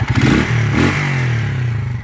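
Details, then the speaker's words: TMX155 single-cylinder motorcycle on a test drive before overhaul; owner reports it won't pull with the sidecar. Harsh clattering rattle rising with revs. Timing gear noise; clutch lining to be replaced as well. "Ngayon tinest drive muna natin at pinakinggan yung andar niya. Number 1 issue nito, timing gear."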